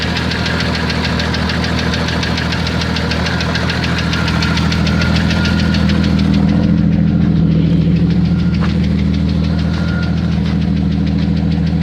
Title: Jeep Cherokee 4.0 -92 XJ flexplate bolt, piston slap or what?